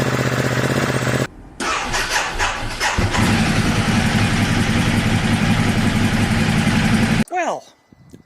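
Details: Ducati Multistrada 1260 S, first start after fitting Exact Start cables, older battery freshly charged: starter spins briefly, twin catches almost at once and settles into steady loping idle; quick healthy start.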